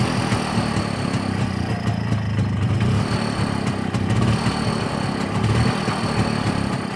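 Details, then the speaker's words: Muravey two-stroke motor scooter, first start after sitting outdoors all winter, started without fuel poured into cylinder but needed three choke pulls: wavering, stumbling rough running; poor fuel delivery suspected, possibly carburettor. "сейчас завелся без подлива жижки цилиндр но правда три раза подсасывать подозреваю я что почему-то плохо поступает бензин"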